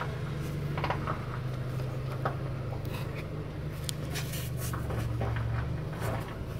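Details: Honda Pilot III 2016, J30A9 engine, cold start: strong loose uneven clacking knock that fades after 2-3 minutes warm and returns after 3-4 hours off; cause faulty timing belt tensioner not extending, idler pulley jumping; fix: replace tensioner.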